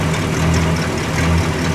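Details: 1965 Cadillac V8 idling after the fuel pump (at the front of the engine) was redone over a fuel leak, checked from underneath: deep, steady, smooth burble with no misses or knocks; healthy, no fuel leaks, owner suspects front seal oil leak.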